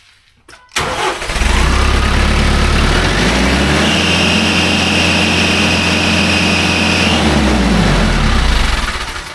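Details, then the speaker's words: TYM T574 diesel tractor at idle. The engine starts and settles, then a high, steady shrill squeal rides over it for a few seconds. The fan/alternator V-belt is slipping. "Let's put this new belt on, see if that stops the squealing."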